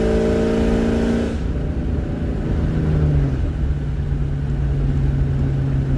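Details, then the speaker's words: 1999 Ford Mustang GT V8 after fixing a cylinder 3 misfire (P0303) with a new coil pack and all eight spark plugs: clean rev dropping smoothly to a steady, even idle, running great. "after everything it's running great"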